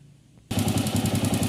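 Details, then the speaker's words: Honda CG 125 pushrod engine running with a bolt loosened for the test: sharp, fast, even tec-tec knock on every firing pulse, worse with throttle; customer thought valve noise, but it's rocker arm side play on worn washers. "Vocês estão ouvindo o tec-tec? Eu coloco a mão aqui, eu consigo sentir o tec-tec aqui na minha mão."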